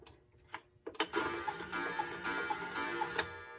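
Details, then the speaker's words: Late-1950s Bachmaier & Klemmer cuckoo clock after repair, running and hung up: it strikes with chimes and clatter, but each call is a single "kook" rather than "cuckoo", as if one bellows isn't sounding. The door sometimes doesn't close. Owner suspects the unreplaced whistle box. "And I don't know if you can hear it, but I'm not hearing both bellows sounding. It's not making cuckoo. I'm just hearing kook."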